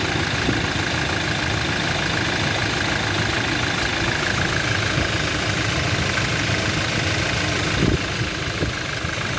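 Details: Toyota Innova at steady idle during engine mechanical diagnosis: loose, uneven tapping mixed into the engine note; internal engine knocking suspected, cause unclear.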